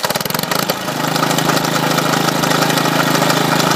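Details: Salvaged lawn mower engine driving a GM 3-wire alternator as a 12 V generator, started with the battery negative lead off to ease cold starting; a few cranking chuffs, then a steady even beat, running healthy unloaded.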